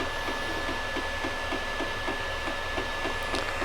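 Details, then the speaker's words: Creality Ender 5 Pro 3D printer as a print starts after bed adjustment: a light regular tick about three and a half times a second over the printer's hum; the cause is unknown. "so if you guys hear that ticking sound i don't know why it does that let me know"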